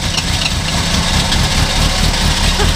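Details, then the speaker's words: 1985 Ford Mustang notchback with original engine, revived after sitting about nine years: loud even idle with a steady beat and no knocking; running normally. "but mr. Hankey is getting close and let's see if this 85 will fire sounds healthy"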